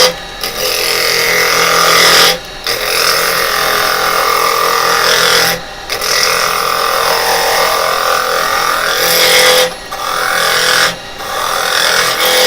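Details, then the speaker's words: Woodturning lathe with a spindle gouge cutting spinning wood: a steady hiss with a faint buzzing chatter through each cut. The vibration comes from too much tool overhanging past the tool rest. "now you can hear there there's the vibration that's cuz I've got quite a bit of cool over hanging"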